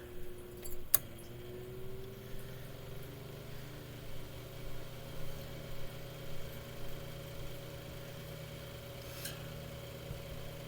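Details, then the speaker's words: Mainstays 9-inch high velocity fan after oiling and blade balancing service: switch click, then motor hum steps up from low to medium to a higher, even pitch; smooth, no rattle, normal speed change. "let's resume that where he left off so going from low to medium"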